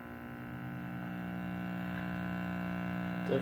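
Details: Early 1940s Trutone D1203 transformerless radio with folding chassis, pushbutton tuning, powered up for testing: steady low mains hum with buzzy edge, then thump and crackle; owner suspects shorting tuning capacitor.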